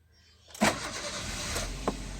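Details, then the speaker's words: Used Maruti Ritz with pick-up problem, after replacing and programming a new ECM (immobilizer light stopped blinking): short crank, engine catches sharply and settles into an even idle; previous throttle body DTC gone, no errors. "வண்டியை start பண்ணியாச்சு. இதுக்கு முன்னாடி throttle பாடி DTC கோடு இருந்தது. இப்போ அந்த எந்த error கூட இல்லை."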